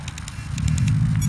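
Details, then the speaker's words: Fusion 50 RC helicopter ESC still powered after in-flight failure and quick autorotation, ESC cold, burnt smell: rapid high chirps about ten per second over low rumble; beeping meaning unknown, cause not confirmed. "if you hear it's making this beeping don't know what that means I'll have to hook it up on the computer and see what it it means"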